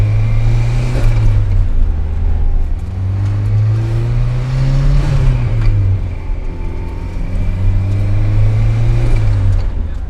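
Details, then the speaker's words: 2005 Mazda Miata just fitted with a turbo kit, first drive: revs rise and fall twice to about 3000 rpm with a faint airy whoosh from the turbo on each pull; normal, healthy turbo spool. "only like 3000 rpm you heard a little shoo so i mean i'm hyped on it"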